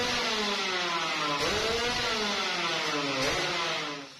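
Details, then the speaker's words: Yamaha RX King two-stroke after piston work, revved: crisp even two-stroke buzz rising and falling smoothly with throttle, smoky, no rattle or knock; engine now smooth and stock-sounding, normal running. "jadi itu untuk masalah bunyi itu dia udah agak apa ya bukan udah agak halusnya Emang standar lah gitu ya"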